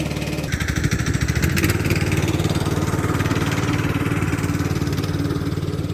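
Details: Free Craftsman LT2000 lawn tractor, parked about 6-8 years, running after cleaning solenoid and ignition switch connections: steady, even single-cylinder chug at a settled speed, no knocks or misses; normal running.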